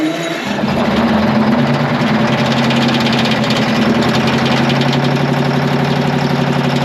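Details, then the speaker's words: Twin-turbo Detroit Diesel 12V71 generator pulled from a field, first start: steady running with quick metallic rattle, about four ticks a second, from fan blades striking the guard. "thing rattling in the fan is that what that is that rattling noise yeah it's hitting the the fans hitting the guard"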